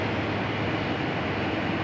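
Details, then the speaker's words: Old-model Carrier 2.5 HP aircon compressor running after the loose compressor wire connection was fixed; the line is sweating and cold. Steady even hum with airflow rush and no knocking or rattling; running smoothly and cooling. "Nagmo-moist na oh. Moist na. Malamig na yan mga tropa."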